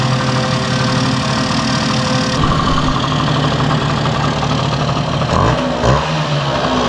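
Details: 1971 Yamaha Mini Enduro two-stroke after carburetor cleaning, muffler refitted with washer O-ring; steady even idle with crisp regular exhaust beat, no misses or rattles. Normal idle, healthy.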